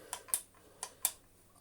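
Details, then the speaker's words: Hotpoint Light'n'Easy vacuum reassembly, motor spindle turned slowly by hand; light sharp paired ticks about 0.7 s apart as chipped cooling fan catches on a bit of glue; cooling fan rubbing. "you can just hear it catching on one little tiny bit of cubond but we shall hope that that is okay"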